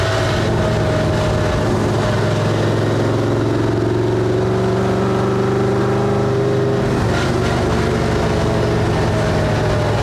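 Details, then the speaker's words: Truck driving in second gear with a dying transmission: steady singing whine over the engine and exhaust, pitch following road speed; first and third fine, less under load; owner suspects worn bushings and poor gear meshing; gear whine. "third's fine but second gear woo back in"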